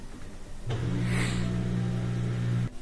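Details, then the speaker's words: LG washer with LE error: a low, steady motor hum for about two seconds while the drum only quivers and cannot spin; the Hall rotor position sensor is failed. "So normally at this point you get some rotation, but something's not working. It might give us an LE error here in a second. You can see kind of a quiver when the motor activates, but no spin."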